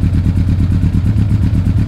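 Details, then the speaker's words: Yamaha YZF1000 Thunderace 1000cc, cold engine warming up on full choke, revs expected to rise: even, steady throb at slightly raised idle, no knocks or misses; normal cold idle. "I've got the choke fully on this fight takes a couple of minutes with my coffee you'll notice it when we got because the bread should get higher as the child stays on it sounds good"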